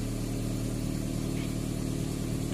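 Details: Toyota Corolla GLI 4A-FE with hard starting and a distributor oil leak, engine warm: a steady, even hum that stays fast and never settles to a low idle; mechanic blames the mechanical cold-start idle, high idle when warm.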